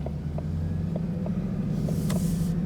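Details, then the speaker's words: 2020 Mustang GT with the Ford 10R80 10-speed automatic pulling out under light throttle; the drone climbs with smooth upshifts that skip gears (1-3-4-6 or 1-3-5-6), which is normal for this transmission. "one three five six and then if you kind of light lighten up on the throttle it'll go one three four and then six or five six so i'm kind of light on the throttle four five and then six so skipping gears is completely normal as well just so you guys know"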